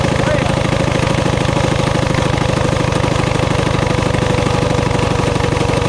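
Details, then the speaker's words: High idle on a Coleman CT200U-A minibike, Hisun 196cc engine, bike elevated: fast, busy idle with a quick steady pulse that won't settle. The carb can't be set low enough, so the bike takes off as if the throttle were stuck, though it isn't. "when we start it up I just cannot get the carburetor um down low enough to where the bike isn't just taking off uh like the throttle stuck but the throttle is not stuck"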